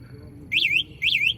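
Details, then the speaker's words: Revoo E52 electric scooter after being switched off: two sharp, warbling high chirps about half a second apart; the beeping keeps going after switch-off, and the same happens with the key. "इसकी beep की आवाज बंद नहीं होती। चाबी के साथ भी ऐसा ही है"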